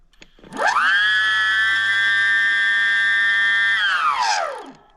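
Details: BBS02 mid-drive run at 72V on Phaserunner controller, after JB Weld repair of the rotor, wheel off ground/no load: clean whine climbs, holds about three seconds, winds down smoothly; spins freely, no rubbing or clicking.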